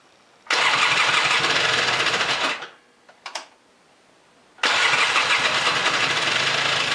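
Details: Polaris 400L ATV right after a head gasket replacement, started while the radiator is being refilled to circulate coolant and bleed air: catches at once, drops off, then restarts cleanly with a crisp, even idle.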